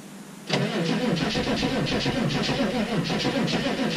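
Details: 6.5 turbo diesel cold start at -15°F, batteries run down: steady cranking about four beats a second, never catches, no start; owner suspects it was running off one battery because the other wasn't making a good connection.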